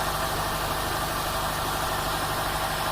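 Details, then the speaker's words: Subaru rallycross car after power steering repair and fixing a fluid-soaked header that smoked, low on fuel; steady, even idle with a constant raspy exhaust note, no misses, knocks or surging; runs much quieter now. "here's the beast just got it fixed up it sounds way better can't even hear it running"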